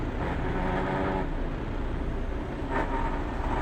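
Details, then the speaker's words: 18-speed Roadranger Eaton Fuller constant-mesh truck gearbox, lever rested very lightly on a gear: faint whine under diesel rumble rising briefly in pitch as gears meet, pitch differs between first and second; used to find the gear. "It's only very, very lightly, and you can use that to find the gear."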